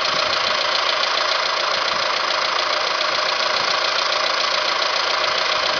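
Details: Alfa Romeo 156 at idle, owner suspects a variator: fast, even tapping about three or four a second with no deep rumble underneath; light top-end ticking of unknown cause.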